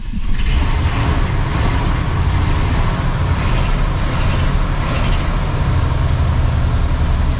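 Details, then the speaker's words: 1980 Cadillac Deville, first cold start after six months stored in a Minnesota winter, needing a couple of throttle pumps and stalling on the first try: catches and settles to a steady, even low rumble, no knocks or ticks. Normal cold idle. "Okay, that's pretty normal for this car. It doesn't want to stay running that first time, but you want to listen for any bad sounds."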